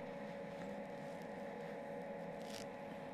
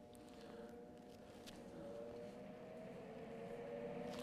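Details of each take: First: MIG welder set up correctly with proper stick-out: even, steady frying 'bacon' crackle without pops or sputter, less spatter than with wrong settings; arc feeding smoothly. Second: MIG welder (any brand, Eastwood MIG 175 shown): mostly shielding-gas hiss with scattered pops, missing the frying-bacon crackle, because voltage is too high and wire speed too low, causing burn-back.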